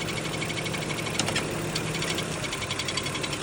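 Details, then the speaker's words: BMW X5 E53, M54 3.0i engine, automatic, heard from below on a lift at idle, in drive and park, and on starting and stopping: dull, rapid knock following engine speed, duller than the usual ringing; cracked flexplate at the torque converter mount. "Обычно пластина более звонкий какой-то звук издаёт. Здесь он более глухой такой стучочек, кулачочек."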